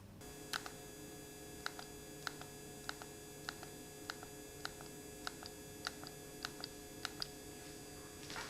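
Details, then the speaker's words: ViewSonic X100-4K LED 4K projector at idle: a constant thin high-pitched whine that doesn't go away, over quiet fan noise and an occasional light tick; an electrical whine rather than fan noise. "the only issue i had with noise is that there is a noticeable high-pitched wine that doesn't go away"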